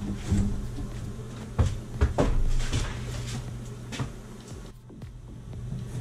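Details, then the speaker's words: Pipes at a combi boiler install while the kitchen hot faucet runs: low steady hum with irregular hard knocks and thumps, hot line vibrating heavily; water hammer, plumber almost certain the kitchen faucet is the cause, to be replaced. "that's some sure water hammer right there folks uh here we go let's do this let's shut this off here this is the hot and this is vibrating like crazy and almost positive is the faucet"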